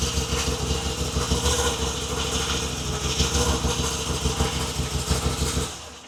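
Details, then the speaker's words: 2021 Moto Guzzi V85TT V-twin first start after timing chain tensioner replacement, oil topped up: even steady beat with light mechanical chatter, no knocking or valve clatter; running as it should. "So, now we're going to uh try for the big start before we build it all back up. So, here we go. That sounds how it should sound."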